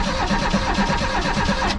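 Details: 1988 Reliant Rialto that would not start or run: the starter turns the engine over evenly for under two seconds without it catching; cranks fine but no fuel is getting through.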